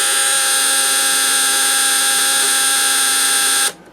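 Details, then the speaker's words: Snap Circuits project 590 (AC voltage) with 3 V and 6 V lamps: steady high-pitched electric buzz for nearly four seconds, then a clean cut-off; relay rapidly chattering as intended, lamps flickering too fast to see. "So we turn our circuit back on here, and we can hear the relay buzzing away But now we have our 6-volt lamps coming on with it."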